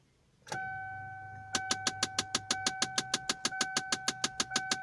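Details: 2009 Kia Sportage with ignition on, with sharp, even clicking about three times a second from the dashboard that continues with the engine running and shows no warning lights; it came on suddenly while driving.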